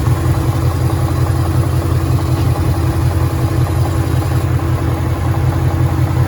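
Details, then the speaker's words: 2013 Ford Mustang GT 5.0 Coyote, manual, 81,500 miles, at idle: loud rough V8 with a steady knock just under three per second; owner suspects rod knock or crankshaft, new for 2-3 months, worse after driving, stalls after long drives. "So yeah, let me know what you guys think about that rot knock noise. It's something new that's just been going on for the past 2-3 months. I'm not too sure if the crankshaft is giving out or what that could be."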